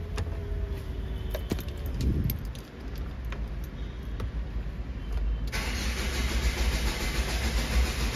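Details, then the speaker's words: Hyundai Starex VGT diesel with lost chipped key, started using a duplicate key without transponder chip: starter cranks steadily but engine never catches; immobilizer blocks starting, planned fix is removing the ECU to switch immobilizer off. "Ayan mga kayabi, redondo lang siya. So ayaw. Ganyan lang siya. Hindi siya mapaandar kasi walang chips yung ano, yung susi ko eh."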